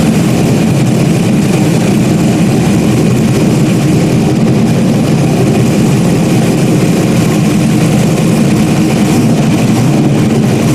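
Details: Stock-block 5.3 V8 race car just rebuilt after almost a year, idling after its first start: deep, steady rumbling idle with an even tone and no knocks, misses or hunting. Healthy normal idle.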